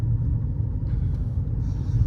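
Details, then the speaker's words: Mahindra XUV500 2.0L (about 2000cc) diesel cruising in 4th gear at about 50 km/h and around 1500 rpm: low, even rumble described as quieter than petrol cars, with no knocks or whine. Normal cruising. "मतलब 2200 CC वाले के मुकाबले में बताऊं, इतना शांत engine है कि डीजल इंजन ये आपको फील होने ही नहीं देता। पेट्रोल गाड़ियां भी इससे ज़्यादा आवाज़ करती है अगर पेट्रोल इंजनों की बात करूं।"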